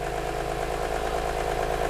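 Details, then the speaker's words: 2006 BMW E46 M3 S54 engine, wrecked auction car, at idle: loud constant mid-pitched whine over the engine; owner suspects unrebuilt VANOS as the noise source. "i hear it don't hear that whining and that loud"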